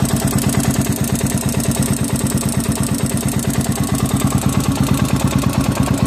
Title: 400ex bottom end engine noise after rebuild.